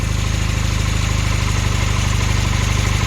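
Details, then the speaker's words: Honda Hondamatic 400 revived after 20+ years, after freeing a stuck valve: steady even low putter with no ticking or knocking, idling quietly; valve adjustment still needed, occasional exhaust-valve pop noted. "yeah that calms down a little bit I can still hear it a little bit I wonder if it's the start of clock I'm here and kicking that's the leak right there but seem to stop leaking it is nice and quiet now"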